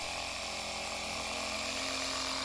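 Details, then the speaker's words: Four-year-old Stanley jump starter's built-in air compressor after fixing worn piston ring with tape and lots of pump oil: steady high-pitched buzzing whir with even pitch, no knocks, building and holding 10 psi; normal running after repair. "so far sounds good and I can feel it's filling up and look at that even the PSA is building it"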